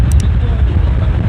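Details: Electric fan after repair (it had not spun; fuse or starter capacitor suspected; opened and dust blown out): steady low whooshing rumble, no rattle or scraping, fan spins freely and strongly; normal operation.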